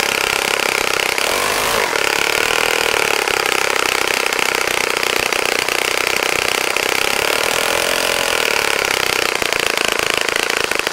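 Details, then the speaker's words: Saito FA-65 model four-stroke glow engine, first run after rebuild, APC 12x6 prop, Morgan's Omega 10% fuel, Fox Miracle plug: steady even high-pitched buzz at full throttle, no misses or surging; normal running. "okay John as you can see how so pretty nice running engine after a rebuild like that sometimes it's hard to get it primed"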